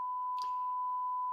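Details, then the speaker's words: 1958 Zenith 500D transistor radio, completely dead at first; a 1 kHz signal injected at the output transistors gives a steady tone from the speaker that is unchanged with power on or off. The push-pull output stage is doing nothing, a dead output stage. "but it doesn't matter if the power's on or off I'm still uh getting that noise out of the speaker"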